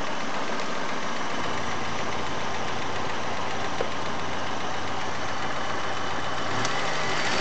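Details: Chery Amulet engine at idle: rough, shaky idle with uneven low knocking underneath, brief rev near end; owner reports knock on sharp revving, excess idle vibration, oil pressure lamp sometimes lit at warm idle.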